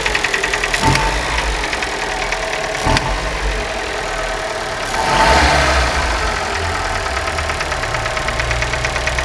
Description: Veja a diferença de barulho q faz no motor. Pino de pistão. Não é comando de válvulas